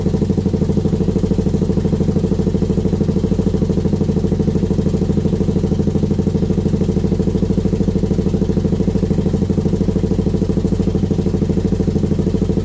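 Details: Brute Force first start after rebuild; even idle pulse around three beats a second, smooth low rumble, no ticking or knocking: normal idle.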